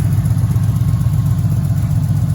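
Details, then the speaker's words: Impala SS, LT1 350 small-block V8, after fixing vacuum leaks, exhaust leak still present: deep, steady burble at idle with no hunting or stumbling. Normal idle; rpm dips slightly when turning the wheel. "uh but yeah man it's idle down it sounds good I know like I said we still got exhaust leak and whatnot but Auto down sounds good in here you know what I'm saying it sounds normal doesn't sound like it's tr"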